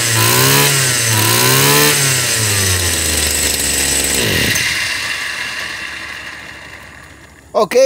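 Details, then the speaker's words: Stihl FS 76 brushcutter two-stroke, over 20 years old, that wouldn't start, with cylinder checked, compression good. Crisp revs up and down, then shuts off; carburetor sounds decent. Normal running. "carburador se oye decentemente"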